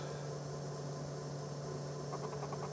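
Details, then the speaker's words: Dell OptiPlex GX270 PC booting after motherboard replacement, now on AGP graphics card: steady low hum with faint airy whir, card fan running louder than it should; noisy fan. "Fan's kind of noisy this is better than what we had before maybe it just wasn't seated in the right I don't know"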